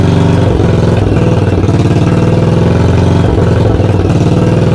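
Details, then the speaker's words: 1982 Yamaha XV920 V-twin, first start after cafe conversion, with oil coming out of the exhaust: loud, lumpy idle with strong thumps and some uneven beats, backfiring. The exhaust is very loud and the owner says tuning is still needed. "but um she's bloody loud crying out loud"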